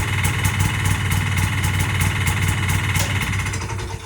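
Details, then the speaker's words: 1981 Yamaha G1 golf cart engine, first start after rebuild, ice cold, fuel pump re-primed before starting. Small engine fires in an even low putter at about four beats a second, then fades; runs pretty good. "Of course, that removes the first fire, but it's ice cold, and we'll do it again. It runs pretty good."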